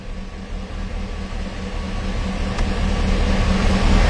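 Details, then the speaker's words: Warmed-up 2006 Chevy Silverado 6.0L V8 still setting P0335/P0336 after a new crankshaft position sensor: runs bad on throttle, with rpm climbing unevenly, jumpy and stumbling, then dropping out completely, plus a backfire. "yeah it's definitely running running bad when i hit the gas now it's idling good but and holding the throttle still you can see how jumpy well we lost rpm there for a second totally lost it"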